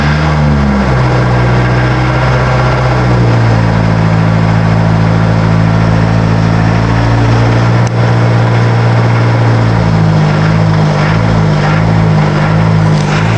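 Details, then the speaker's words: 1982 VW Rabbit diesel pickup, hard starting with a little too much white smoke: catches and runs rough for a few seconds, revs sag and hunt, then dies and restarts, won't idle; owner suspects injection pump or injectors. "Okay, attempting to start the rabbit. Okay, she won't idle. Hard to start."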